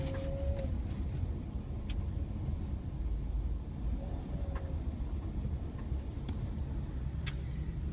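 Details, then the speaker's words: Subaru Forester pulling away from a stop into a sharp turn, mostly to the right: a few sharp, isolated knocks over low engine rumble, strongest at the initial turn and slightly less on repeat. "trying to get my car to make the weird lking noise it makes when I turn going from a stop to a sharp right turn"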